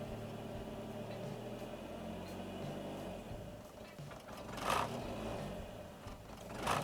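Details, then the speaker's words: Golf MK3 GL (German) holding light part throttle: engine won't pick up, swelling and dropping unevenly every couple of seconds, yet accelerates normally at full throttle; caused by dirty throttle body and idle actuator. "Ó, se eu manter o pé nesse ponto, o carro não acelera. Ele fica fazendo isso, ó. Se afundar o pé, ele acelera normal, tá vendo?"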